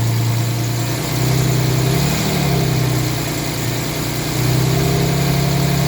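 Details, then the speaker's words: 1989 Jaguar XJS 5.3 V12 after replacing both crank and flywheel sensors, repairing a broken intake air temp sensor wire and removing the coolant temp sensor jumper: starts smoothly, deep even drone swelling cleanly with revs, no misses or knocks; normal revving. "So, let's see if it starts and starts smoothly. Yes, that's much better. Let's see if it revs."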